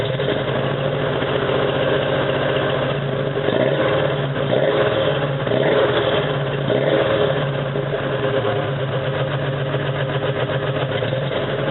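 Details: 1987 Toyota 4Runner, high-mileage reman engine, cold start first thing in the morning, clutch in, rough blips: uneven idle with an irregular lope about once a second, still misfiring after 3 minutes. Cause: cheap head gasket leaked coolant, cracking the aftermarket head and fouling plugs.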